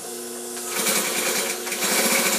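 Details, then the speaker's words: Vintage Singer 95-1 with new timing belt, re-timed hook and clutch motor, sewing thick dense suede: quiet hum, then fast, even stitching clatter with no skipped stitches; healthy, well-timed sewing. "no skip stitches nice perfect sound for a machine of this error sewing like a champ couldn't be better"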